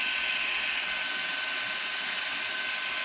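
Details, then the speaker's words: Perrysmith vacuum cleaner whose motor kept jamming and stopping from hair buildup, after cleaning, a drilled modification and the bearing adjusted back: a steady, very high-pitched motor whine at an even speed with no stalling or dips, running fast. "Nampak tak? Aku tebuk sikit punya pergi memang pergi memang laju eh."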